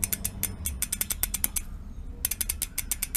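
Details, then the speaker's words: Second-hand Mavic Deetraks rear hub on high-power electric bike, turned by hand: rapid uneven ratchet clicks with rough crunching; worn-out freehub section, possibly stripped threading in hub body. "you can hear that though that's quite crashing this is here is the problem this this work worn-out section"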